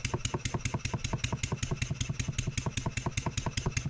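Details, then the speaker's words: Stuart 7A steam engine run on air after valve eccentric timing adjustment, still snug at a tight spot; slight upward pressure on output shaft simulates load and brings quick sharp knocks about 2.5 per second in step with each stroke; cause not yet found, engine to be disassembled. "if I just put a little bit of upward pressure I can feel it on this face you hear it Knocking"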